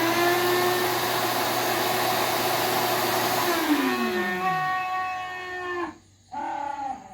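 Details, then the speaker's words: Household vacuum cleaner switched off: a loud screaming whine slides steadily down in pitch as the motor runs down. "hi I'm Chris and this is my craft vacuum it screams when I turn it off"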